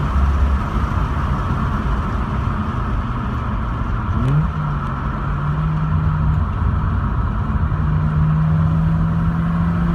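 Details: Mazda RX-8 rotary engine idling with a misfire: an uneven, lumpy low drone with irregular dips in the beat.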